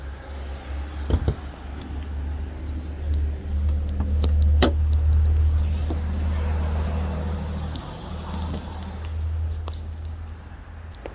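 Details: 2014 Chevrolet Cruze petrol engine idling, hood open: deep drone with rough, irregular knocking and ticking; the engine is going in for a warranty engine swap.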